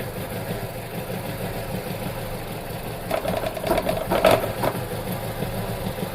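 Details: Vauxhall petrol engine idling with an uneven, stumbling beat: ignition misfire from a broken ignition coil.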